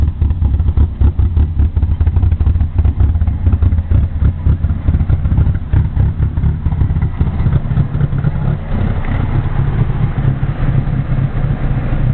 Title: Opel Corsa Rough Idle